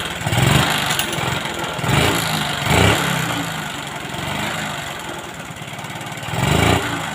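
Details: Honda Supra X 125 smoking heavily white with no power, exhaust full of oil: uneven lumpy idle with irregular heavy thumps and surges; mechanic suspects a badly clogged exhaust.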